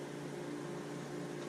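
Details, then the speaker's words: Harvest Right freeze dryer just started on a freezing phase set for 9 hours: steady low hum with a constant mid-pitched drone, even level, no knocks or rattles; running normally. "It's freezing right now. It says it'll freeze for 9 hours. So for 9 hours, this is what I'll hear."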